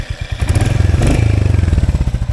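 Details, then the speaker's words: Royal Enfield Hunter 350 BS7 E20 (2024), after servicing with tappets reset and gasket kit fitted past 500 km: steady single-cylinder idle thump with a faint even chuck-chuck; normal light tappet tick. "उसने बोला हल्की फुल्की तो आवाज़ आपको आएगी engine में से, ये चक चक करके आप सुन सकते हो ये।"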